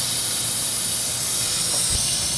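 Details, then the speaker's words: 2007 Ford 6.0L Power Stroke diesel, cranks but won't start: steady, high-pitched hiss of compressed air escaping during an air test of the high-pressure oil system, with the valve cover off. "I got the mic flip flip it around so you won't be able to hear the hissing as much"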